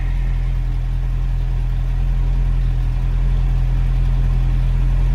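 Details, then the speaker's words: Toyota pickup 22RE idling after a homemade no-weld exhaust with universal catalytic converter and flex pipe: steady even low rumble with no ticks, puffs or rasps; exhaust quiet and sealed, though code 27 is read afterwards. "gured I'll go ahead and start it for you so you can hear that it's nice and quiet."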